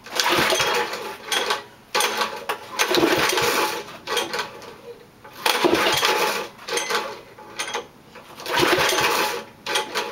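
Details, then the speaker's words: 6hp single-cylinder small engine running after five years of sitting, idle speed raised: hunts up and down in uneven bursts every few seconds, chugging black smoke; carburetor needs redoing; rough running, surging. "I got to it still chugs black smoke so I have to redo the carburetor"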